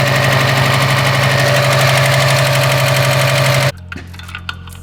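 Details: Subaru STI with a brand-new engine that previously locked up, now with a new timing belt tensioner, started the next morning: sharp, even knocking about four per second, the same noise as before; source suspected in the top end, not confirmed.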